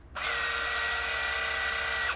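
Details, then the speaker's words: Repaired ZX Printer on a ZX Spectrum, once bought as broken and not working; small motor whirs up, holds a clean even whine about two seconds and stops; paper form feed works properly. "the form feed works fantastically."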